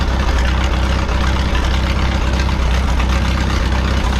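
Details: 1951 Farmall M tractor idling, mixture about one and a half turns out: hesitation fixed, but an uneven knock about four per second comes and goes; intermittent engine knock, source unknown.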